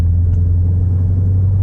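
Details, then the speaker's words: 2007 Mercedes SL55 driving after replacing failed engine mounts with Creative Steel Elimvibe mounts: steady even low engine rumble with no shudder, buzz or glove box rattle; smooth running, no engine vibration. "But I'm excited because there's no more vibration through my steering wheel, through the pedal, and especially I'm not hearing my uh my glove box."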